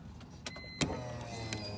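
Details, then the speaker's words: 2005 BMW E46 325i after fuel pump replacement for crank-no-start with lean codes: key on, a few clicks then faint steady whirring hum of the new in-tank fuel pump priming normally. "now get down on there and listen see if you can hear the prop uh the pump priming and I'll put the put the camera down"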